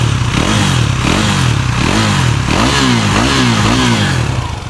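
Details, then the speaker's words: KTM Duke 390 after engine rebuild (rings removed), previously noisy around 4000 rpm: engine blips up and settles cleanly with no knocking or rattle, now silent, no smoke. "पहले क्या हो रहा था? 4000 RPM के बीच में एक sound आ रहा था। तो बिल्कुल साइलेंट हो चुकी है। कोई आवाज नहीं है इसमें।"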